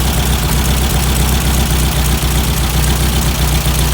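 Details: Weber 40 IDF dual carburetors on a classic VW Beetle air-cooled engine, idling after synchronization, checked at 4 on the gauge: a loud, even, low idle with steady firing and no stumbling or hunting, carbs balanced.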